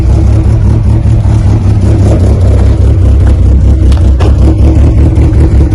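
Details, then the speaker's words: 1995 Plymouth Neon ACR with big cam, being restored: deep steady engine note, even rumble, no knocks or misses; running smoothly. "now really you hear it it sounds great"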